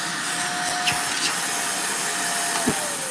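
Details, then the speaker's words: Shark vacuum, checked after unclogging: steady, even motor whine with a smooth rush of air, no surging or rattles, strong healthy suction that holds the hand; a crack was then found below the on/off button. "It's not letting me go. Damn, these sharks are not bad, man."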